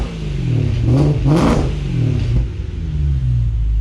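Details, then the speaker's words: BMW E92 M3 V8, cold start after fitting Beamer World, X-pipe and Agency Power rear exhaust, before tune deletes cold start: catches with deep loud swells, then strong even burble; healthy start. "I bet it's gonna be super loud during cold start, but once we get the tune in the car, we're gonna delete cold start, so it should be good."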